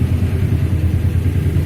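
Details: Yamaha MX King idling with a loose, uneven low clatter from the clutch side; clutch housing damper rubbers worn, and clutch parts otherwise checked as still good.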